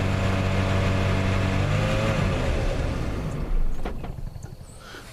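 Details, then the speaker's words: 1987 Plymouth Gran Fury, 98,000 miles, mostly original, drivability problem, earlier suspected carb: drones at raised rpm with steady throttle, then sags and dies after about three seconds; stalls. "I didn't do anything I just kept my foot directly on the gas right there and it just shut right off"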